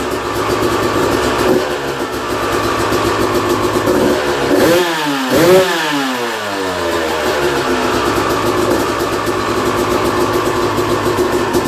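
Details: 2001 Yamaha YZ250 two-stroke, first start after new top end, jets and service (compression was 100 psi before): crisp idle with clean blips rising and falling smoothly, settling without stumbling; healthy running.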